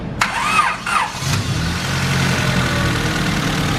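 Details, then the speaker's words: Single-cam Honda Civic after fixing crank fluctuation sensor wiring and setting ignition timing to 16 degrees, from way off: starter turns over sluggishly about a second before it fires and settles to an even idle; slow cranking. "certainly starts a little slow doesn't it yeah idle sounds good now"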